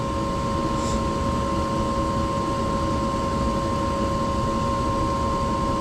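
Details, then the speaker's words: Small heater unit with two burners and a smaller blower motor, blower running after the screeching/buzzing heater call repair; smooth constant airflow rush with faint steady hum, quieter than usual, no rattle or buzz. "oh wait it is on all right this is quiet usually other blow mot is a lot"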